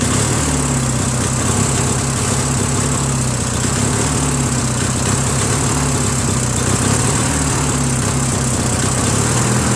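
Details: Free Briggs & Stratton 16HP opposed twin, valve unstuck and carb added, mounted on a Murray tractor: an uneven, wavering, slightly hunting beat. It runs better on choke and full throttle sounds fine; owner suspects lean running through the carb's open Welsh plug hole.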